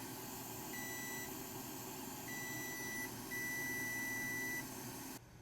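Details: PS5 motherboard that beeps then shuts off, already seen by another shop: multimeter gives steady high continuity beeps, showing a persistent short to ground that remains after both suspect chips were removed and put back; HDMI connector checked fine.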